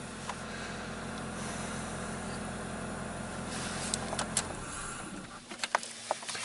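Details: 2001 Saturn Coupe after fixing a crank no-start with the ignition harness wires repaired and battery reconnected: low, even idle runs smoothly for several seconds before switch-off; normal idle.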